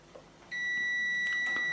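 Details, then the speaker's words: Stick (MMA) welder transformer, multimeter continuity test across the primary winding: clean, continuous high beep with a very low ohm reading, near a short circuit, which is normal here; the primary winding is good. "can hear the buzzer beeping it's got a very very low arm reading that is basically a short circuit really"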